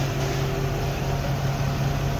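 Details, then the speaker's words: 5.7 engine, cold, just after a no-start was fixed by repairing the 5-volt reference wire with butt connectors; steady even idle with constant hum, no knocks or misses, good oil pressure. "Got good oil pressure. Obviously it's cold."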